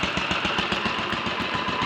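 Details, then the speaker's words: Royal Enfield 500 single (Asbo 34), rebuilt with ported head, barrel shortened 2 mm, Hitchcock's 9:1 piston, strobe-set timing; third start, about 10–15 minutes running since rebuild: even steady thumping, no rattles, knocks, leaks or smoke; normal idle. "well no leaks no rattles and no smoke"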